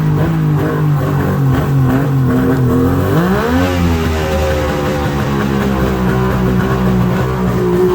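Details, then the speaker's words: Mercury outboard on water muffs after new fuel-water separator and new plugs, on high idle choke: steady fast idle, then pitch sweeps up and settles lower; all cylinders firing but idle unsettled, needs adjusting. "but H hm h H might need to adjust the uh idle"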